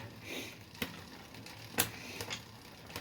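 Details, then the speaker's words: Bicycle rear derailleur with trigger shifter: wrong cable tension makes the chain want to jump cogs, giving irregular sharp clicks while pedalling; fix by adjusting the barrel adjuster. "you see it doesn't like that now he's wanting to jump so if you're finding your gears are doing that you need to play with the barrel adjuster"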